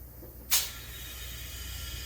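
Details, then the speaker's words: Shop air compressor unplugged, with air still in the tank: after a soft knock, a steady, quiet, high-pitched hiss of compressed air leaking. The leak is to be located with soapy water. "Okay, there's still air in the tank. All right. Well, I can hear that leaking already."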